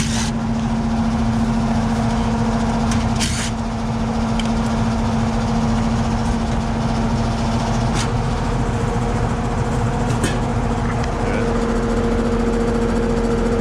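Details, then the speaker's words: Carrier central AC on a no-cooling call (80°F room, set to 71) at the outdoor condenser: steady fan whoosh and low hum with no compressor joining in. The compressor won't start because the 70 run capacitor is swollen and bad. "Sounds like we got a fan running. We got a fan running, no compressor."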